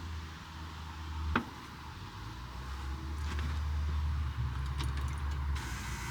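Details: Caterpillar D3K2 dozer with rough running, power loss under pushing, fluctuating RPM and white smoke: low steady diesel idle with slightly uneven throb and dull clunk early; no fault codes, DPF suspected plugged and about to be pulled, cause unconfirmed.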